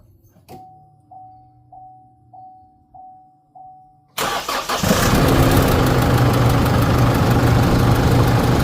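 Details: 2016 Holden Colorado 2.8 diesel after replacing a faulty accessory belt tensioner that let the belt slip off; slow warning chime, then quick start settling into a steady, even idle with no belt squeal or slap; normal idle.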